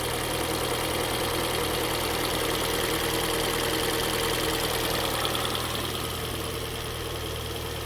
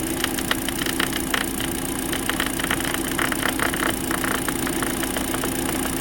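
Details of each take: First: Kia Soul just after engine and transmission reinstall, first start on old oil with no coolant: fired on the first try, steady, even idle with a smooth pulse, no knock, rattle or misfire; normal idle. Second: Kia Soul after engine and transmission installation, first start as the radiator fan kicks on: steady running hum with a fast, uneven ticking rattle from a dirt dauber nest caught in the fan, vibrating badly; radiator fan rattle from debris.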